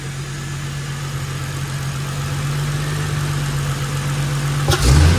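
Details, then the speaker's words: Holden VY Calais L67 supercharged V6 drift car, freshly installed replacement engine (double-row timing chain, lower km, balance shaft disconnected, upgraded mounts), first start without coolant or supercharger belt: smooth steady low idle, no knocks or ticks, quick blip near the end; oil pressure 70, healthy. "She fires right up. Oil pressure. 70. Got good oil pressure. Actually sounds pretty good."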